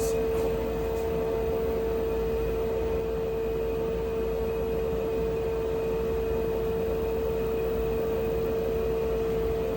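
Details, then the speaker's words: HLN 8 kW air heater, likely lowest setting, 5°C outside, with hoses fitted: constant steady whir with mid-pitched hum over soft airy hiss, no surging or rattle; hoses reduced noise, running normally. "As you guys can see, just adding the hoses made a pretty considerable difference in the sound level."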